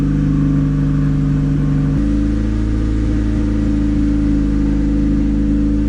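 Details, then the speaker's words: Turbo D16Y8 Honda Civic idling: steady, fast idle hum that never settles and steps slightly higher partway through; a vacuum line popped off the idle air control valve, causing high idle. "yeah you found the issue y'all line popped off the idle air control valve damn always another thing to fix on here"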